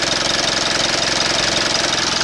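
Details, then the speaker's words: 2012 Mitsubishi Outlander 2.2 DI-D diesel with intermittent EGR code P2413 at idle: quick, evenly timed knock over usual clatter, locked to engine speed; valve clearances checked normal, source undetermined. "оцей звук дивний оцей звук є скільки часу скільки часу цей автомобіль в цього власника дуже довго що це за звук такий цікавий клапана я регулював клапана нормальні зазор"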